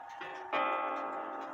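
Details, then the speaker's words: Japy Freres French bakers clock (circa 1880-1900), with the gong turned upright as if hanging on the wall so it no longer touches the wood: a soft tick, then a clear ringing gong stroke with long, even sustain and no buzz; normal strike. "sounds more vibrant like it's supposed to"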